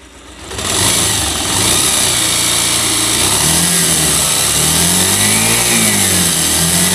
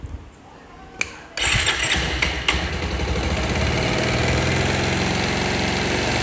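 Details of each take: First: Bajaj Pulsar single-cylinder bike revved up and down twice, harsh rattly top-end noise over the exhaust; worn piston rings, fixed by installing new rings and piston. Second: Bajaj Pulsar single-cylinder bike after piston ring installation for an engine sound problem: a short crank catches quickly and settles into an even, steady idle with no knock or rattle; normal start and idle.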